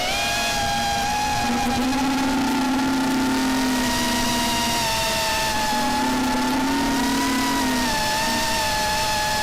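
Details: Quad fitted with new RDQ 2205 2450kv brushless motors that fly well: high, steady motor whine with a lower, rough buzz swelling and fading in bursts; owner finds the sound strange, cause unknown.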